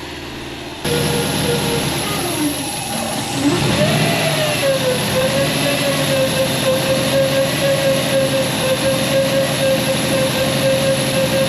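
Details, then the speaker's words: Subaru Legacy GT after engine install, first runs, low RPM: loud steady whine over the idle rising and falling with a gentle rev; owner thinks power steering pump, maybe from sitting; vacuum leak also present. "In this next clip, you'll notice the power steering pump whine. At least that's what I think it is a power steering pump. It just whines really loud, maybe because it sat for a while"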